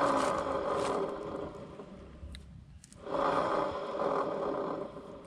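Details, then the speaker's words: Honda Click scooter, engine off, rear wheel spun by hand: rough rasping scrape heard from the torque drive area, suspected worn torque drive bearing. "So parang feeling ko is sa Torque drive patayin natin iikot natin yung gulong Ayan mapapansin niyo may may parang kumaliskis"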